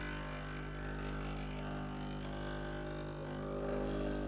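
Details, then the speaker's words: Breville Barista Express BES870 pulling a shot, pressure gauge around 12–1 o'clock: steady even low pump hum, no surging or rattle, flow smooth and even; normal pump operation while brewing. "there we go oh amazing that's about 12:00 1:00 pressure flows very very nice and smooth much better than before"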